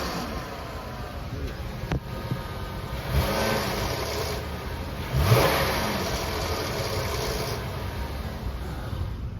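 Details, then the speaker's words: Ram Promaster, Pentastar 3.6 V6 running: loose metallic rattle from the oil pan area, louder on quick revs, caused by a failed tensioner on the intermediary chain linking both banks' timing chains. "Sounds like a chain rattling. I know, I've never seen it before. It's really weird."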